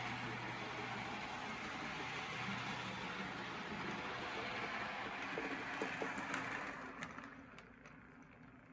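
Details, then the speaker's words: Custom-chassis Tyco Chattanooga slot car on track after maintenance, with the earlier rubbing noise gone: soft, even electric hum that winds down smoothly and quietly. Stronger and smoother, like new. Normal running. "i'd say this is running like new it's nice and quiet and stronger smoother more reliable than"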